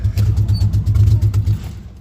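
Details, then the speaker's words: Old Chevy Impala six-cylinder daily driver after limping to work: lumpy, uneven low chugging with irregular beats and dropouts, running on only two or three cylinders, owner wonders about rod knock; losing brakes too; cause not yet found. "I don't know how many cylinders he's running on, but I can definitely tell you it's not all six."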